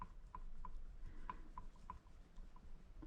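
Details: Peugeot 103 moped cylinder head rocked on a surface plate: light, sharp clacks about twice a second show the face isn't flat; warped head, to be resurfaced with sandpaper in figure-eights.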